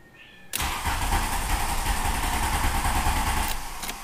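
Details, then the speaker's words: Volkswagen Golf diesel started cold after cycling glow plugs twice, accelerator not floored; about three seconds of steady, fast starter churning with no firing or catch; cranks but won't start, unusual since it normally fires right up. "plugs again I didn't have my foot to the floor well that's strange usually it fires right"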